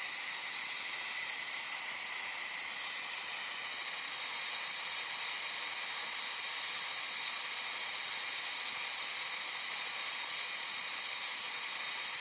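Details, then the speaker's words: DeWalt D55146 air compressor after shutoff near 200 PSI: steady high hiss bleeding off with no motor running as faulty check valve leaks air back, pressure dropping until it kicks on again around 160. "as you can see it's going back down and it's going to kick on again about 160 or so and that's again because that check valve is letting the air"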